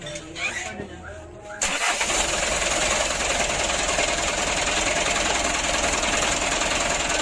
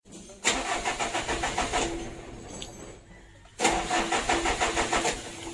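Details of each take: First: Mitsubishi Canter diesel truck with hard starting, after adjusting fuel load, governor and idle: brief crank then catches at once, settling into steady clattery idle, much easier than before; normal diesel start and idle. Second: Mitsubishi Canter diesel, hard to start: two long cranking bursts with even churning rhythm but no catch; starts only with a little throttle; fuel load, governor and idle adjustment.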